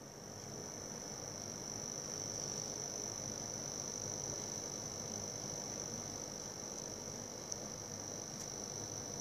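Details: Cooler Master V700 power supply under load with fan spinning, even in paperclip test with no hardware: steady high-pitched buzz over fan hiss, intermittent 10-30 minutes; cause unknown.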